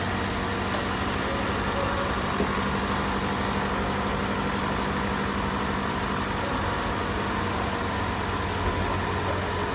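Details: Toyota Camry with a 2AR-FE engine, diagnosed with front-of-engine noise from a faulty water pump that was replaced: a steady, quiet four-cylinder idle with an even low hum and no whine, squeal or rattle from the front.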